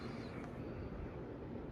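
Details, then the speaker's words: 2001 Hunter Original five-blade ceiling fan, dusty from heavy use, mounted on a U-bolt, running on high speed: steady, even whoosh of moving air with no ticks, wobble or rubbing; normal healthy fan airflow. "yeah this is high speed a air flow noise for you very good fan"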